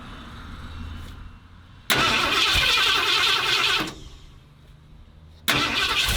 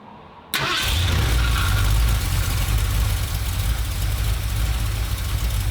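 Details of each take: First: 1977 Ford F-250 460 V8, first start after 19 years and an engine fire. The engine catches twice in short, harsh bursts and runs only briefly; oil pressure shows. It runs only with the distributor pegged to one side: ignition timing well off, may need retiming. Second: 1977 Ford F-250 460 V8 with automatic, after the distributor is reinstalled and timing reset by turning the oil pump driver; first runs after 19 years and an engine fire. Catches at once and settles into a steady, fast, even idle with a smooth low rumble: normal fast idle.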